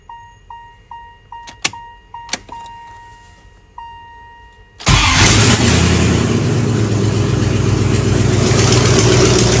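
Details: 1994 Jeep Grand Cherokee, rebuilt 5.2L Magnum V8 first fire-up after NV4500 manual swap, oil primed, no exhaust yet: chime beeps, V8 cranks and catches into a loud open-exhaust idle, even, no knocks.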